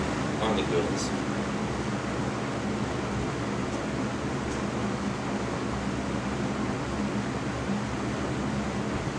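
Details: Lakewood C122 16-inch box fan, believed mid-1980s, not known if recently oiled, on its lower speeds; the owner heard an unidentified noise on high. Even, steady airy whoosh with a faint low hum, no rattles or scraping; running fine.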